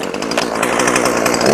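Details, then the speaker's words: Poulan 5020 chainsaw shakedown run: high buzzy two-stroke scream holding steady, then revving up; runs and restarts reliably, though owner finds it disappointing and underpowered. "I mean, it runs. It's got that going for it. So far, I have yet to have it not restart."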